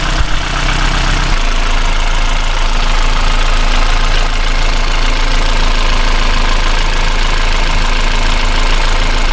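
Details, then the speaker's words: Toyota Celica 2ZZ-GE petrol engine idling with the serpentine drive belt removed to test a suspected faulty belt tensioner; steady even hum, the tapping/rattle noise is gone. "So that's what I'm doing right now. So I remove the belt. And now that sound seems to have gone."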